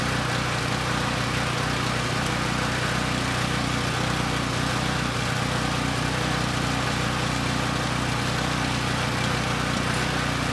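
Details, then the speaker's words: Coleman Powermate Pulse 1850 generator, 1996 engine, long unrun, before repair: steady but uneven loping beat around three per second, needing half choke to smooth, still supports 1500 W load; rough running from contaminated fuel and dirty carburetor. "yeah that carb it does have issues i had to choke it about halfway to get it to kind of smooth out but the good news is it makes power it could support a 1500 watt load"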